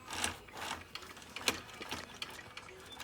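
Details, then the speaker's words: 2015 Luyuan 40cc pocket bike, wheel spun by hand after clutch and transmission replacement while setting chain tension: light irregular clicking about once a second as one stiff, non-flexing chain link jumps the front sprocket. "When it would get to the front sprocket, it would start to jump the gear because it wasn't flexing anymore."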